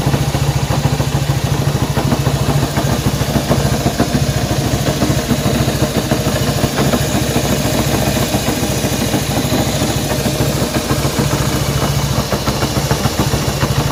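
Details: Honda CB190R motorcycle engine noise at idle: single-cylinder idle with a fast steady rattling patter over the exhaust thump; abnormal engine noise, source unclear.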